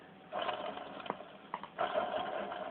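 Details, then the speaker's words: Freestyle scooter wheel spun by hand gives a dry rattling whir with a faint tone; odd bearing noise, owner thinks the rear wheel is worst; steering recently cleaned, oiled and greased. "a quand même un bruit de roulement assez bizaride la bar elle aussi elle est défoncé"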